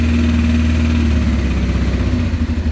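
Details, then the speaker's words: 1989 Honda Transalp 600V twin, ice-cold start, choke moved to half after about 30 seconds, about 1,300 rpm; lumpy idle pulses steady then quickens as it warms; normal fast idle on choke. "So I'll bring the choke down to half. About 1,300 RPMs."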